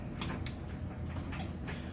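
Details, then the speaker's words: Samsung electric dryer on a normal, more-dry cycle with clothes loaded: low even rumble with soft irregular thumps of falling clothes, no squeal or grinding and no vibration; tumbling normally. "get those clothes piled in there closed up we'll just do normal I like to do more dry you say go see that in there kind of same thing with this one I just wanted you to be able to hear that it sounds great"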